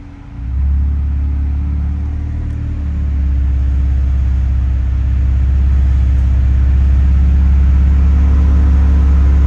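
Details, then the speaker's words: Freshly built BMW 335i N54 twin-turbo six (MMP 53/53 turbos) restarted after 15-minute break-in; catches and settles to smooth steady low idle, no knocking, ticking or leaks; owner calls it a nice quiet motor; normal idle. "Hell yeah, baby. Nice quiet motor here."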